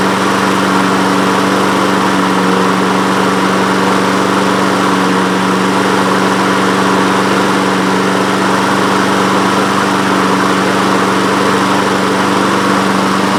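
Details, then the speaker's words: Honda HRN216 lawn mower with GCV170 engine, air filter off, after cleaning the carburetor jet and emulsion tube and using fresh fuel: steady, even single-cylinder drone with no stumbles, starting on one pull and running smoothly. "Yes. Oh. Well, it's running again."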